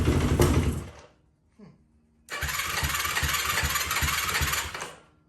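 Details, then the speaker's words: 2004 Yamaha YFZ450 quad showing zero compression on gauge, after cleaning the spark plug; brief run, pause, then uneven popping run that stumbles and misses, though running better than before; engine sputtering. "and it's spittering and sputtering a little bit but at least it's running this is running better than it has before"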